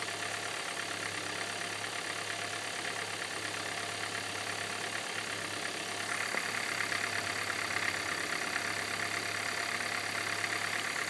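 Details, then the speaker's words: 2013 Hyundai Santa Fe petrol engine, warming at idle. It quiets down, then a fast, hard, diesel-like knocking starts and grows progressively louder. "Well, it's quieting down. And the knocking is starting. It's going to get louder. And there it goes. And, yep, it's getting louder."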